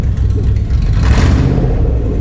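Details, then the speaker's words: Abandoned Toyota Land Cruiser 100 with 4.7-litre petrol V8 and about 200,000 mileage, catalytic converter cut off, on its first start: a heavy, lumpy, uneven rumble with lots of smoke; running rough, cause unconfirmed. "you can see that's load of smoke coming out of that cat it's running but it's running rough you can hear that so Smoky"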